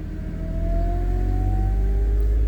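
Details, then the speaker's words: 2008 Pontiac G6 3.5 warming toward operating temperature, key on, lights off: steady whine rising slowly in pitch over engine rumble while bleeding air from the power steering pump; whine from air in the system. "Warm it back up a little bit here. Hope you can hear that whine."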